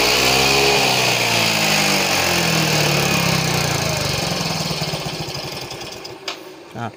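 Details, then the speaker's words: Yamaha Mio M3 scooter, smokes white, hard to start mornings, won't idle: revved buzzy engine sags and dies within seconds of releasing throttle; very weak compression, suspected worn or stuck piston rings or leaking valves. "motornya pun tidak bisa langsung pada saat gasnya dilepas motornya langsung mati karena kompresinya sangat lemah"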